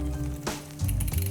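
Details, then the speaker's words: Ibis Mojo HD mountain bike, Shimano front derailleur on the inner chainring, chain halfway up the rear cassette, before low (L) screw adjustment: light scraping and clinking as the chain turns; the mech cage is out of line and fouling the chain. "Okay, so inner ring adjustment here for the front mech. As you can hear, the mech is actually fouling the"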